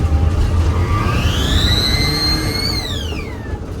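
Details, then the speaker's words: Turbo Daihatsu Mira, first pull with newly fitted BLITZ blow-off valve replacing HKS: high thin whistle climbs with revs then sweeps down on throttle close, toy-like and screechy. "Yeah, it literally doesn't sound real. I really don't know."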